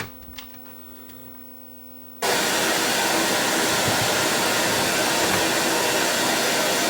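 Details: Sony EVS7000 video deck, control panel and bottom board separated for testing: low hum at rest, then playback brings a loud steady hiss; traced to a failed 10 microfarad capacitor in the audio circuit, fixed by bridging a new cap.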